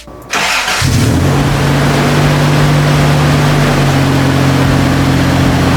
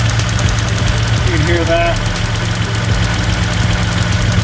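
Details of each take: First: Toyota pickup with swapped 3.4L V6, first start after swapping in a new non-automatic ECU: brief crank then catches almost instantly into a firm steady idle with no stumble; starts much faster than with the automatic ECU. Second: Toyota pickup with swapped 3.4L V6 at idle: steady idle with a fast, slightly uneven tick about four per second from one vacuum switching valve (VSV) clicking loudly, quieter when revved; plumbing to be checked, cause unknown.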